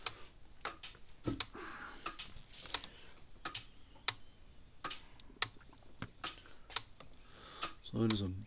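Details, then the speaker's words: Dare Enforcer DE-4000 10-joule electric fence charger after reconnecting lightning protection board wire during repair: crisp evenly spaced clicks about every 1.3 seconds, no misses; discharge cycling normally. "plug it in and see if it goes to click in and now there it goes right clicking"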